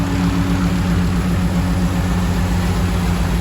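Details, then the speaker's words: 1936 GMC truck with aluminum 5.3L LS V8 swap, first start in 60 years, fuel pump audible: deep, even burble at idle, steady low rumble, no knocks or misses; idling smoothly. "But she's running like a champ. I need to bleed the brakes still, but very happy. All that's running smooth."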